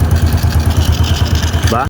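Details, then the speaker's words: Honda Wave 100 idling: steady, even, low putter of about ten soft pulses a second, very quiet, with no ticking or chain rattle; engine sounds healthy. "Yan sobrang tahimik mga masher. Ayan oh."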